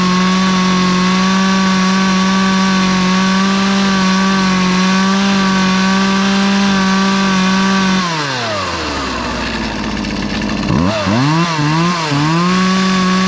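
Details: Poulan 2450 chainsaw with 18-inch bar, reassembled after chain, bar and handle work; steady high two-stroke scream bogs smoothly into the cut and picks back up cleanly; healthy saw cutting under load.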